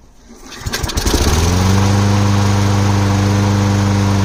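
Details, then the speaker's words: Small engine after carb leak fix with gasket and air filter housing refitted: catches after a few pulls, then a steady even putter with no misses or surging, no fuel leaking; normal running. "All right, it's working good. I don't see any gas leaking."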